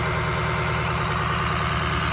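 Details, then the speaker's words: 2003 Ford F350 with a swapped-in 2006 6.0 Powerstroke diesel, after a coolant flush and fill, held at about 1200 rpm high idle to purge air bubbles: even, steady rumble with no misses, knocks or surging; running smoothly. "about 1200 RPM high idle"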